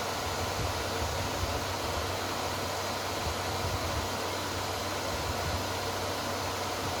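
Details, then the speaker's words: Repaired inverter welding machine running after the repair: a steady, even rush from the cooling fan with a faint low hum, loud enough to hide the relay click. The fan sounds normal, with no rattle or scrape. "Very hard to hear how the relay turned because of the cooling fan noise."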